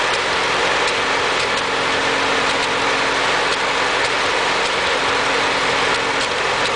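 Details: Ford 8N tractor engine at idle with irregular sharp pops and stumbles about every second, a skip or misfire; owner unsure whether carburetor or distributor is the cause.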